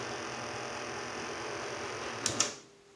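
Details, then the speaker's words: Tandy CoCo with replacement SC77526P DAC board (revision 1): harsh hissy buzz with whistling tones on sound output while the joystick is worked, then clicks and near silence; audio interference when joystick moved. "when working the joystick um you get that sort of interference"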